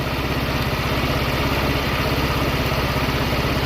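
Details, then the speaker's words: 150cc VIP scooter with a GY6 engine after a carburetor and intake replacement, idle screw turned down. It idles with an even, low putt-putt about three beats a second, no misses or knocks, and sounds right. "Now that it's running, I'm just going to idle it down a little bit. You can do that by adjusting this screw right here counterclockwise to go down some or clockwise to idle it up some more."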